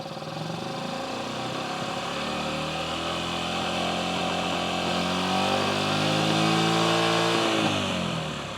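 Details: 2008 Yamaha XT125R Big Wheel single, stored 12–15 years, carb cleaned, new battery: revved while checking charging voltage; pitch climbs smoothly, holds, drops back cleanly; normal revving.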